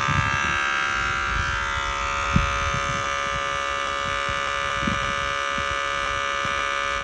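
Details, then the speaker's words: Heavy truck on the shop's 24 V supply with its air supply connected, before fault codes are cleared and before starting: a constant hard electrical buzz with faint knocks, traced to the unit on that side, then cutting off. Abnormal buzzing, cause not yet traced. "est-ce que vous entendez le bruit bizarre que vous avez DS3 du côté bien ça vient de là le groupe"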